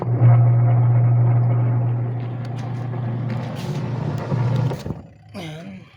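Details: Sharp Gigawash 6 5kg washing machine after pulley replacement: steady low wash-motor hum with light sloshing and no knocking or slipping; the drive runs smooth and healthy.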